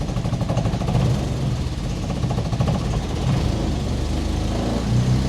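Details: Jaguar XKE stored for years, after clutch master and slave cylinder replacement and bleeding, running off its own tank: low, even engine rumble rising slightly as it pulls away in forward gear; clutch takes up smoothly without slip or judder.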